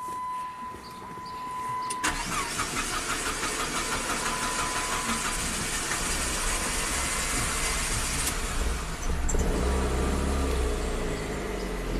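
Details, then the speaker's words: 2005 Chrysler PT Cruiser 2.4 L turbo, 5-speed manual, start-stall complaint; camshaft position sensor unplugged so it runs on crank sensor only. Engine runs unevenly and lumpy with a stumbling beat, then stalls. "It's running on just the crank sensor, not very well. Stalls out."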